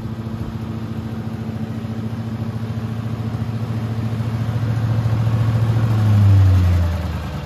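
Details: Billy Goat leaf vacuum after impeller replacement, service and new pull cord: steady, even single-cylinder putter about 214 beats a minute, swells slightly then settles; no fan scraping, healthy.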